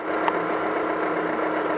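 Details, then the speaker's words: Engine idling after the slipped harmonic balancer inertia ring was addressed, during the timing check. Short steady idle with an even hum and no knocking, ticking or wobble: sounds good so far. "ittle bit everything sounds good so far"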